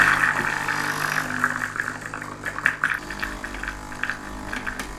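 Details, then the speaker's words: Gemilai Owl thermoblock espresso machine, vibratory pump running after over-pressure valve adjustment: loud steady buzzing drone with small fluttering pulses, no stalling or rattling, sounds better, normal operation. "That sounds a little better. That sounds better again."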